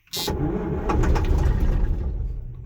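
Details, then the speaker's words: A John Deere 6620 sidehill combine, not started in over a year, in neutral and given ether: steady heavy starter churning with low uneven chuffs as the diesel tries to fire but never catches; long crank, no start. "Probably going to just crank it for a bit and see what happens. Give it a little bit of ether."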